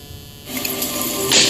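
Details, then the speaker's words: YG310 LED projector after one year of use: steady buzzing hiss with faint hum from the headphone jack while nothing plays, present with both headphones and speakers. "the headphone jack has a bit of a hiss, a hum to it. So when the device is not playing any sound, you can hear this buzzing, humming noise."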